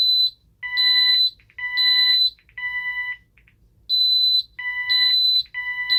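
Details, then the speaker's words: Ademco 6128 alarm keypad test, fire zone initiating device triggered: loud, high, piercing beeps in stepped bursts about once a second in a steady repeating pattern as the panel sounds a fire zone alarm. "So anyway, let's go ahead and test out the initiating devices here. First we'll do the fire zone."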